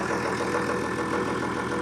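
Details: John Deere 6600 diesel tractor in for an injector leak fix holds a steady, even idle with a smooth unbroken rhythm, no misses or knocks; a stack pipe leak at the top of number one injector is then found.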